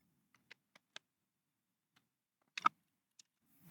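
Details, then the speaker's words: Faulty clothes steamer switched on with power board reconnected, lights showing heating: sparse button clicks over near silence, no pump buzz or relay click; pump not running, cause not yet found. "So we get the lights say we're heating up. Do we get anything now? So still nothing happening there."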